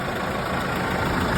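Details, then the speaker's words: Case 115A tractor that wouldn't start, after a makeshift wiring connection to the battery while a part is awaited: a steady even low rumble with no misses or knocks; runs normally. "there we go. Diagnosed it. Kind of fixed it. But it runs."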